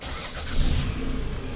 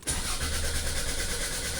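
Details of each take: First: 2004 Toyota RAV4 after a crank-no-start caused by a wiring harness fault in the crank signal to the ECU: a short crank, then it catches at once into a steady idle with no check engine light; a normal start. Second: 2004 Toyota RAV4 crank-no-start, cranking with PicoScope connected: starter turns the engine at an even pace but never fires; scope shows no crankshaft position sensor signal though injectors have 11 V power.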